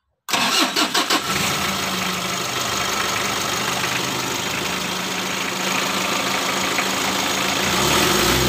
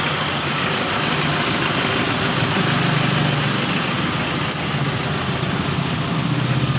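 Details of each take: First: Mitsubishi L300 diesel with white exhaust smoke, after adjusting injection pump timing: cranks briefly, catches and settles into a steady, even idle with a blip of revs; smoke largely gone; normal start and idle. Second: Mitsubishi L300 diesel with untouched injection pump timing, just started: hard uneven knock with slight hunting, about four beats a second, white smoke; rough idle from incorrect injection timing, adjustment to follow.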